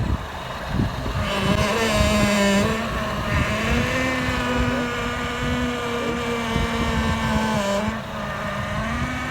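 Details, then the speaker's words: Honda CR-V at idle, wheel turned, power steering returned with a rattling noise: wavering groan and whine shifting pitch with steering; pump breathing air, foaming the fluid. "So this behavior is coming out from because it's breathing air in here. So when it's breathing air, it creates foam from here that's coming forward"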